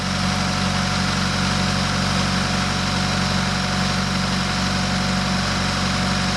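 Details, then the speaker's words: Subaru BRZ on a new short block after fuel lines corrected and timing confirmed right, no valve damage; steady, even idle with a low smooth rumble, no misfire or knocking; healthy and settled, still low on antifreeze. "all right she sounds smooth now we got to figure out some antifreeze"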